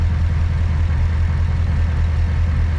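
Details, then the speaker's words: 2008 Chevrolet Corvette C6 LS3 at idle: slow irregular stumble about once a second under steady rumble; scan tool shows cylinders two and eight misfiring. Engine misfire. "now you can see you see here cylinder number two and fill in the number eight are now the ones misfiring"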